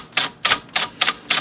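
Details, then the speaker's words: IBM Selectric typewriter after repair, motor flushed and bracket raised and tightened: six crisp, evenly matched key strikes, the S now sounding like the Z, with no knock or rattle from the case. "so now the S should sound like the Z or the that's the sound like beatniks and it does both are the same"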